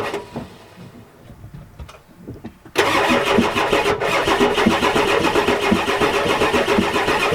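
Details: 1993 Ford F-250 7.3L IDI diesel, cranking: the starter turns hard and steady at about four beats a second but it never fires. Owner suspects dead glow plugs, a bad return line, bad O-rings, possibly the injection pump.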